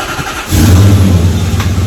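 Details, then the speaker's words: Toyota Soarer/SC400 1UZ V8 started after a serpentine belt replacement: it catches and settles into a deep, steady rumble with not a second of belt squeal; the squeal was caused by the old belt, not the tensioner. "Nope. Not even a second of squealing. Fuck yeah. Good job. Serpentine belt fixed."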